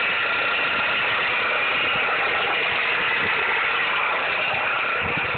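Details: 2007–2009 Dodge Caliber, 2.0L or 2.4L engine, at idle: harsh gritty grinding/knocking rasp with a thin whine on top, steady over time, from a failing alternator pulley.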